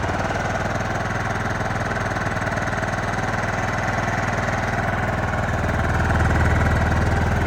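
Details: John Deere LT155 riding mower single-cylinder, previously no crank and shutting off after 5 seconds, now running after choke: even beat at steady fast idle, no misses, knocks or hunting; healthy.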